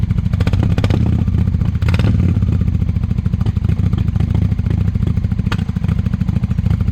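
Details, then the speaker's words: 1998 Honda Shadow 750 ACE after carburetor clean, sat over 5 years: loud open exhaust thump, likely no baffles, at fast idle with uneven stumbling beat; owner suspects fuel issue from old gas starting to go bad — hesitant running, loud exhaust. "okay so there's a good indication of how it sounds it's pretty loud honestly kind of too loud but it seems sacriligious to change the pipes to make it quieter"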